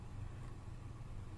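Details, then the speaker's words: Sonoff WiFi smart switch: one crisp relay click as it is toggled from the phone app over LTE, with the LED panel switching on and off; normal relay switching. "you can actually hear the relay clicking as well when I'm doing this and you can see the LED panel turning on and off in the background"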